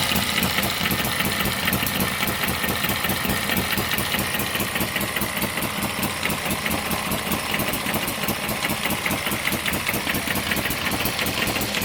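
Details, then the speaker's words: One of several model steam, Stirling or hit-and-miss engines driving a homemade Baker fan as a working load. Crisp, steady chuffing about 2.5 beats a second, holding even against the fan; normal running under load. "of different engines unload as I said from the baker fan oh I can hear this in curing and working against that that sounds really impressive"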